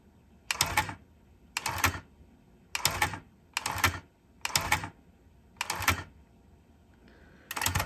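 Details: JVC TD-X501 cassette deck after transport service, tape loading into auto-reverse head: evenly spaced mechanical clatter bursts about every 1.1 seconds, each a brief whirring flip, head reversing cleanly and working normally; earlier squeal gone.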